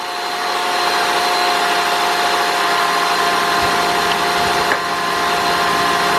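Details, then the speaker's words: 2000 Nissan Maxima 3.0 with code P0505, stalls on start unless pedal held: cold engine holds a steady, somewhat raised idle with a thin whine, no stumbling; owner suspects the throttle body needs cleaning. "okay it's cold so it is going to idle a little high right now let's see if this idle goes down by itself"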